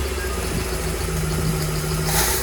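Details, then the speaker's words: Chevy carbureted box truck "Big Blue", long sitting, just started after ether once fuel reached the carburetor boosters: low, uneven idle with a ragged undertone; running rough, cause not yet pinned down. "Yeah, I can see it in the boosters. It lives. And it sounds like crap."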